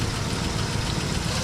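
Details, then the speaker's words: 1967 Buick GS340 V8 after water pump replacement, cooling flush and swapping faulty new points for old ones: steady even idle with low rumble, no misses or stumbles; running nice and cool, runs great. "But this thing's running nice and cool now. I mean, it is just, it's running great."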